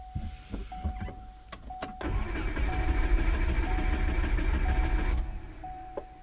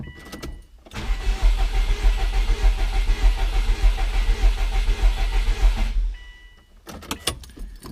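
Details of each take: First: 2002 Subaru Forester cranked with the ignition fuse pulled as an ear compression check: steady, even chug of about three compression pulses a second with no weak cylinder; healthy cranking. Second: 2003 Subaru WRX with suspected misfiring cylinder, ignition fuse pulled for compression check by ear: about five seconds of starter cranking, rhythm slightly lumpy rather than even; possibly one cylinder low on compression.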